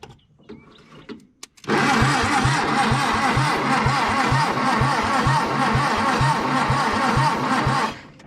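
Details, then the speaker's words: 1962 Hillman Minx abandoned about 40 years, new spark plugs fitted, carb cleaner sprayed in, carburetor leaking vacuum; the starter cranks evenly at about three compression beats a second for six seconds but never catches or fires: cranks, no start. "she ain't even hidden"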